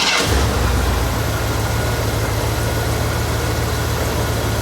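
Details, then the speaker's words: 1976 Cadillac Fleetwood start after fixing hard starting and rich running by replacing the leaking main fuel pump, clogged fuel filter, fuel pressure regulator and five leaking injectors; it lights right off, fuel pressure builds almost immediately, and it settles into a steady, even idle. "So, she lights right off, which is a good thing, which means we get our pressure built right to where it needs to be uh almost immediately."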